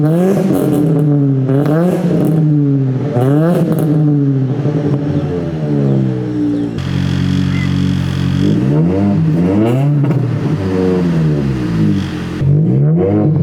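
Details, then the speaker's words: Ford Focus SVT first start after Truebendz catback install, catalytic converter gutted: revs swing up and down smoothly with an even, fairly quiet exhaust tone and no rattles; healthy exhaust. "yeah as you can hear right now it's pretty quiet on the exhaust"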